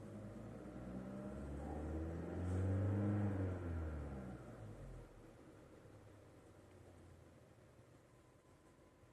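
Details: 2020 Skoda Karoq 1.5 TSI DSG 4x2 petrol at 5,680 km, pulling away and cruising: low engine surge, road hum and occasional brief rattling knocks present almost since new; cause unknown.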